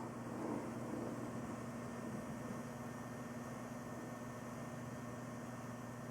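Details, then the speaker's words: Corsair H100i AIO liquid cooler pump alone, hot-wired power supply via SATA: faint, steady low hum with soft whirr, no rattle or gurgle; pump very quiet and healthy. "yeah so as you can see the pump is actually very very quiet"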